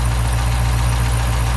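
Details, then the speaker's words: 2012 Dodge Charger 5.7 Hemi V8 just started after misfire repair, idling with a steady deep hum; lifters quieting as they pump up, no ticking standing out; engine runs healthy. "the lifters should kind of quiet down here in a second after they fully pump up"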